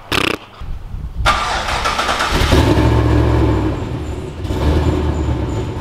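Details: LS V8-swapped Nissan GQ Patrol with 6L80e transmission, tune unfinished, compression test good: V8 fires up and revs with uneven stumbling beat and chuffing exhaust pulse; persistent misfire on one cylinder, cause unknown.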